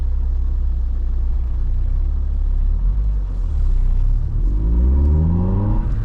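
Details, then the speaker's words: Corsa B 1.4Si GLS (same engine and gearbox as SRi) with newly fitted K&N 57i induction kit, under acceleration on the road: deep rumbling intake roar rising smoothly with revs, no misses or rattles; an immediate difference from standard. "as you can tell there's an immediate difference that's got the same engine and gearbox as the SRI in it instead of the gutless 1.2 or single."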